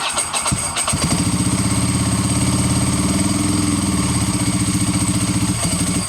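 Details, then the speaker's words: Ducati stumbling below 2,000 rpm, not present when first revived, occasionally cuts out like a light switch; rear relays and crank position sensor already replaced, cause unknown: low uneven idle that sags and falters, low-rpm stumble. "I'll let you guys listen to it one more time, so it it under 2,000 RPM, it kind of stumbles."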